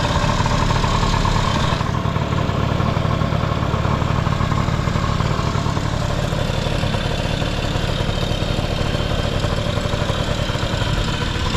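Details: Vintage Honda Lead 90 scooter (HF05-1025) running check: low even putter at idle, steady beat, no knocks or rattles; quiet engine, normal idle.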